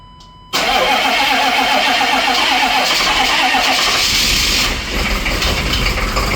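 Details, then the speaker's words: 1995 Chevy 3500 one-ton dump truck, 6.5L Detroit diesel, sat a while, cold start around upper 30s °F: cranks, catches, settles into lumpy uneven clatter with surging loudness, shaking and smoky; rough, hesitant cold start. "look at the D the DAR shake it such a rough starter and it's a smokey one"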